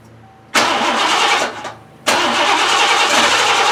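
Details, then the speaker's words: 1988 Lincoln Town Car, first start after fuel tank work. Cranks, catches, stumbles and nearly dies, then catches into a ragged hissy idle; owner suspects hung injectors or a clogged fuel filter. "you actually attempted to start this time it sounds like the injectors are either hung up or I'm not getting filled through that nasty filter I'm not really sure"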